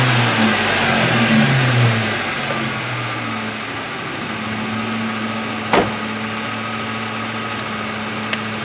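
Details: High-mileage 2002 Ford Mustang 3.8 V6 after oil change and Liqui-Moly flush, tick gone after about 30 seconds: settled steady idle, even low hum; owner believes earlier tick is exhaust manifold gasket or hole.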